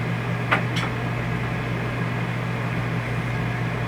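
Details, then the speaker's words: RV rooftop air conditioner running smoothly and quietly with a steady airflow hiss after fan balancing fix; a screwdriver left inside or loose mounting bolts cause vibration. "i'm doing this special for the video i already did it once that's why you hear it nice and quiet"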